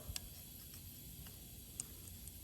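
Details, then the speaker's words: Spring-loaded check valve removed from a belt-driven pressure washer pump, pressed with plier tips: a few crisp light clicks in a quiet room as the spring moves freely and reseals; the valve is good, normal check valve click. "That spring on top, it depresses the spring. When water goes in there, pushes against the spring, allows water to flow, and then closes it back off."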